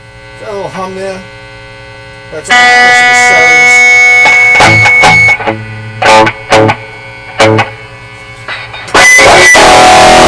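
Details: Mesa Boogie .22 Cal tube amp test after repair: clean guitar notes over a faint steady hum, with no pops, crackle or dropouts as volume changes. The amp works properly and sounds mint.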